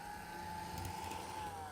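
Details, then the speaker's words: Atlas C420 model diesel locomotive, new and not yet run in, at full power: clean, steady high-pitched whine holding pitch, smooth, no grinding or chatter. Sounds healthier at higher speed. Motor running normally. "Let's run by at full power then just to see what the full range is like. Here we go. Oh, yes. It goes from flatulent to very powerful"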